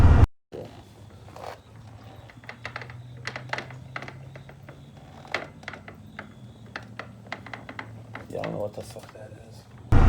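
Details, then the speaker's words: 2000 Kawasaki Vulcan 1500 Classic motorcycle, just fitted with new tires, recorded on phone: scattered sharp clunks and clicks at no set rhythm over a low steady drone; new clunking appeared after a ride, following an earlier hum on deceleration; cause unknown. "But it was like a clunking going on in there, and I didn't know what it was. I never heard it before, and it didn't start doing that until after I rode to Ryan's house."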